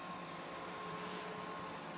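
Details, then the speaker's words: Firebox X5500e firewall after swapping its loud stock fans for Noctua fans: very soft, even airflow hush with a faint steady tone, no rattle or roar; much quieter, almost silent, normal fan operation. "yeah we'll call it a win for now obviously it's much much quieter this baby's almost silent now"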